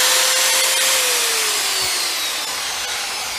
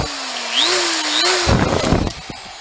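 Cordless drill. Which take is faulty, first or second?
second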